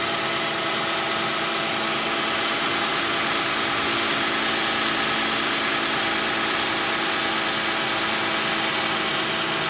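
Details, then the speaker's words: Toyota Camry V6 2GR 3500 cc at idle; thin high chirping about twice a second from the accessory belt area between idler bearings and tensioner; worn tensioner bearing and weak spring, cured by replacing the tensioner and belt. "Bunyinya itu cicit begitu ya. Nah, itu sepertinya dari area yang putaran ikut dengan fan belt ya. Areanya antara idle bearing dan juga tensioner."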